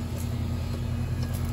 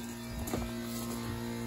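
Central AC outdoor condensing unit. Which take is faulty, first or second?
second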